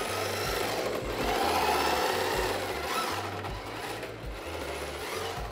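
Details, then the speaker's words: Yokomo YD-2Z RTR 1/10 RC drift car sliding on track with new tires: light, fairly regular ticking about three or four per second over tire rasp, caused by hard mold spots on the tires. "you can hear the car ticking it's like you can almost see the mold the mold spots on the tires these like little hard spots and every time they go around they make that little ticking sound"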